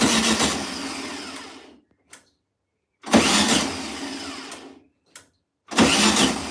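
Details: 1972 VW Beetle at its first start after more than two years sitting, with brake cleaner sprayed in: three cranking bursts about two seconds long, each catching and coughing briefly before dying; it fires but won't keep running.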